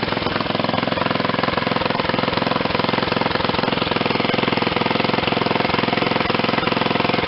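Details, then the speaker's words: Old Ariens RT7020 rototiller, Tecumseh HH70 7 hp horizontal-shaft engine, revived after sitting: fast even single-cylinder chugging, about 3.5 beats a second, steady near idle; runs cleanly. "let me turn up the throttle a little bit sounds like i got it on just about idle or something [Music]"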